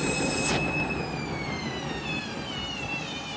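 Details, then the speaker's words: Candy washing machine overloaded with a big load and out of balance: high motor whine falls steadily in pitch over three seconds as the drum winds down; spin cut short, which is taken to be a suspected sud lock. "You can hear it, can't you, when it knows it's going to do a sud lock? There you go."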